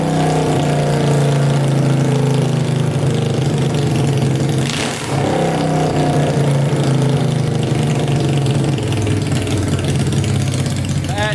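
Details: Tractor swapped with a 500cc Honda engine, first start on fresh gas after a carb clean and wiring fixes, spark on all 4 plugs, no coolant yet: very loud, deep, steady idle with one brief blip; no misses, knocks or hunting.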